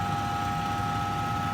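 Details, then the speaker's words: Central air unit in the attic, fan side. A loud, steady electrical buzz with fixed tones while the fan motor struggles to start. The owner deduced the capacitor needed replacing, before replacement. "but you can probably hear it I'm sure my air conditioner the fan is being real loud"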